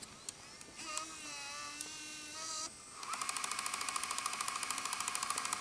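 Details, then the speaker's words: 1998 Sony DCR-PC1 Handycam camcorder during rewind or fast-forward: a fast, regular high-pitched clicking over the tape motor whir, which should not be there. The owner suspects a cracked gear in the tape mechanism. "unfortunately I think it has a cracked gear in its mechanism, because when I rewind or fast forward you can hear it making a clicking noise..."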